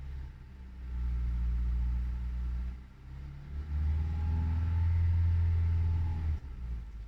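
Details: Hyundai i20 Elite second-generation petrol four-cylinder in a noise comparison with the Tata Altroz: a smooth hum swells as the engine is blipped, then settles, staying even with no knock or rattle; normal revving.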